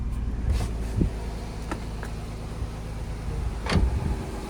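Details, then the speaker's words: Nissan VQ35HR after oil galley gasket leak fix, new water pump, timing chain guides and tensioner; start after refilling coolant: low, even idle with a few clunks, no knocking or ticking; normal start and idle. "Wonderful. As you guys are hanging over here over there. Engine is working smoothly."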